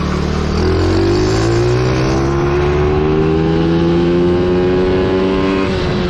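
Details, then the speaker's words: Coolster 110cc quad that sat two years, on a test ride after a warm-up: the throttle stuck open and the engine races, climbing steadily without backing off. A loose, improperly screwed-on part is found; the owner hopes nothing got sucked into the engine. "W the throttle um um stuck open on me so not good you can hear it there's some stuff going on in there um I'm just hoping nothing got sucked into the engine"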